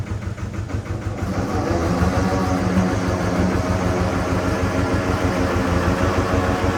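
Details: Amida Benford 32D articulating site dumper, two-cylinder hand-crank Lister diesel, Newage PRM 3-speed gearbox: same gear noise after topping up gearbox fluid; steady diesel thump about three per second with rough metallic grind; owner says noise comes from the rear, not engine or front; gear grinding suspected.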